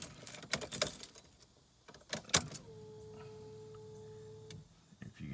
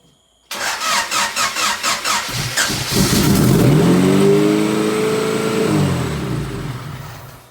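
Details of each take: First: 1992 Honda Accord with built turbo H22, before first start, battery on charger, injectors unplugged: after key rattling, steady even electric hum for about two seconds, then cuts off; normal fuel pump priming. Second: Built turbo 1992 Honda Accord H22 (sleeved, pistons and rods, GT3582) first start: quick cranking, fires and flares to high revs, hanging and slowly settling; high idle from open vacuum hoses, vacuum leaks everywhere.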